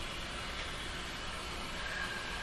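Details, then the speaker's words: Battery-operated radio near a battery-operated light, during Hallicrafters S-40A power line filter capacitor experiments: steady rain-like hissing crackle with no signal, RF interference from the light. "this is a battery operated light operated radio does that sound like it's raining right up near the light"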